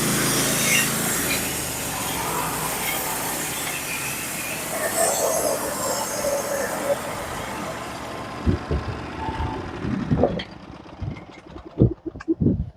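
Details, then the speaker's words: Norwood HD36v2 sawmill with a sharpened Stellicut band and new roller guides cutting red oak deck boards: a steady, even cutting roar for about eight seconds, then the band clears and a few clunks follow. The teeth engage evenly and the cut is healthy. "it is running the teeth and I don't know how well you guys can hear it with the noise cancelling but the teeth are engaged nice and even beautifully uh it's very very even when I'm running it"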